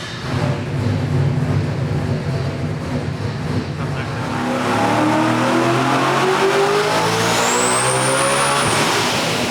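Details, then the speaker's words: Land-speed-record boosted race engine pulling hard toward about 9,600 rpm, pitch climbing steadily, then cutting out abruptly like a rev limiter; suspected ECU losing crank sync. "I think did it could have lost the sync. It lost."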